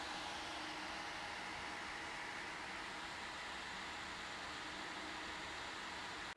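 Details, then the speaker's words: Corsair HX850 fully modular PSU fan, heard with the ear right against it while roughly 740 W is drawn by an i9 9900K and three-GPU test rig: only a soft, steady airflow hiss, well below maximum rpm, with no whine, ticking or rubbing; healthy. "so with roughly 740 watts being pulled through this power supply of course it's enough to get the fan spinning but it doesn't look like it's spinning anywhere near what i would call the maximum rpm"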